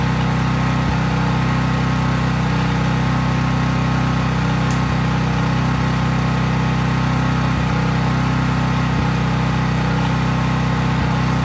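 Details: Craftsman 5000-watt generator running outdoors after a cold start at constant full speed with no load: an even, steady engine drone with no surging or misses. Smooth, normal no-load running.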